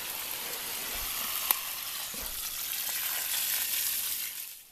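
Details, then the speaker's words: Submersible well pump drawing groundwater to refill jars: steady hissing rush of water flowing above, no knocks or surges; normal water flow. "On entend l'eau couler là-haut."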